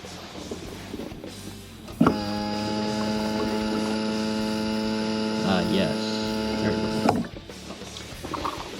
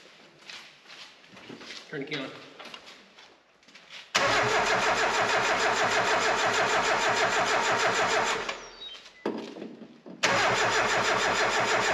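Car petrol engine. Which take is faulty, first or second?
second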